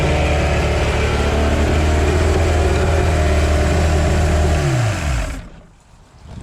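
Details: 1982 Glasstream bass boat's Chrysler 100hp two-stroke outboard, which sat about six years: smooth, even drone at steady speed with a clean rundown at shutoff, running healthy. No water flow at first, then hot water came out.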